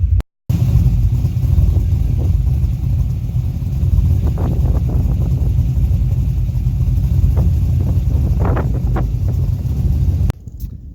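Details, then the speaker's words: LS1 with drive-by-cable throttle body (appears to be Nick Williams) after HP Tuners idle tuning: steady deep idle rumble with light throttle blips; startup, coast down and throttle cracking now good, slight idle roll remains for timing and adaptive tweaks. "The startup's good, coast down's good, just cracking the throttle. Everything seems to work out good now."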